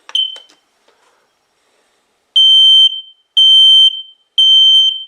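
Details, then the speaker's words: X-Sense smoke and carbon monoxide alarm self-test passing normally: a short chirp and click, then three loud, shrill half-second beeps about a second apart, an alarm tone over 85 dB. "it does it twice so it's easy to check and see if you want to check this it's got an alarm tone over 85 db so it'll instantly alert your whole household"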